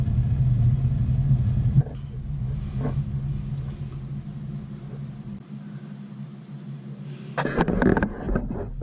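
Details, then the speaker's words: A.O. Smith gas water heater with spark ignition and pilot that keeps going out: after relighting, a steady low roar holds even once the main burner lights, a short clunk near the end; normal burner firing. "There it goes. Did you hear it? Now it's blinking. Now I can turn it on. Fires up."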